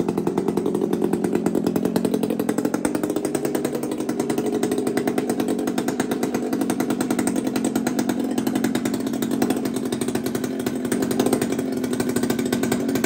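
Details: Two-stroke chainsaw (Kenzie's), just after first start: crisp, even buzz holding steady pitch under throttle, no misfire or sputter; runs healthy.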